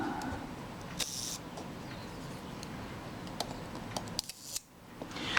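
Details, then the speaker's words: Mamiya Family SLR camera after shutter service, fired at another speed setting before fitting cam ring return spring: crisp single shutter snaps with clean high clicks and no drag or stutter; normal shutter operation. "Sounds very satisfactory."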